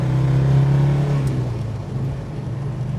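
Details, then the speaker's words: 1969 Dodge Charger R/T, 440 four-barrel V8, four-speed manual, fully restored, about 30 miles since restoration, warming up, heard from the passenger seat: deep even rumble swelling through the gears, no misses or knocks; normal acceleration. "we got a little temp in the car going take it through the gears warm it up again that great V8 Rumble"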